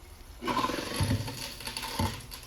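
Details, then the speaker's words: Garbage disposal run with water on and drain pipes disconnected after clearing a clog causing dishwasher and sink not draining: motor whirs with rough grinding and hard clunks as leftover debris is chewed up, then runs clear; grinding debris. "here oh boy that did not sound good but luckily as we can see now the garbage disposal is running without an issue you can hear it and there's no clunking or clattering in there so whatever was left in there has now been grinded up and dumped right into my bowl below"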